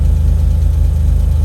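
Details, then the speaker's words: Autozam AZ-1 Suzuki Cara on Keisport ECU, after fuel rail replacement and cleaned injectors and regulator: low, even putter with steady beat, no misses; smoothest idle yet, though engine no longer revs as high. "I think that's the smoothest I've ever seen my keisport idle."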